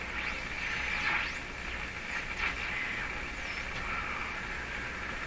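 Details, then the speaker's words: Hallicrafters S-40A shortwave receiver with suspected front-end fault, fed a strong 725 kHz test signal: hissy noise with low rumble and warbling whistles; rumble commonly heard on radios in the shop; removing antenna made no difference; cause unclear. "see that that rumbly sound is a a noise I commonly hear of my shop here on these are radios is that coming in on the antenna"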